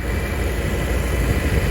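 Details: 1993 Chevrolet G20 van with 5.7 V8, running with heater on full hot to bleed the cooling system after temperature sensor work: smooth, even low rumble with a steady beat and no knocks or misses; normal idle.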